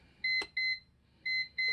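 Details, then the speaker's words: CyberPower CP585LCD 585VA UPS repeating paired high double beeps over and over, warning of a dead internal battery; holding the mode button silences it, battery replacement fixes it. "if it keeps on beeping like that over and over beep beep beep beep series at double beeps what you can do is search you can hold on this mode button and that will silence the beep"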